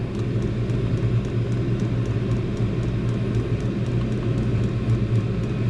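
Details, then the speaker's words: Diesel heater cranked up to its maximum setting: a steady low hum and whoosh with faint regular fuel-pump ticking, even and unchanging; it is punching out heat normally. "Oh yeah. Just punching some heat now, that's good."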